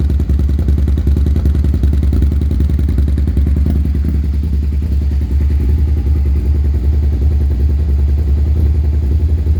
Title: Rough idle/slash misfires 2001 sv650